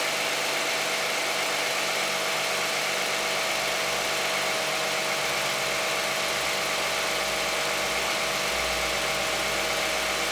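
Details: 2010 Toyota Camry 3.5 V6, 93,000 miles, Pennzoil Ultra 5W-30 synthetic with Wix filter, cold start idle: even idle with light, fast injector-and-valve tick, no knock or rattle; quiet, normal cold-start idle.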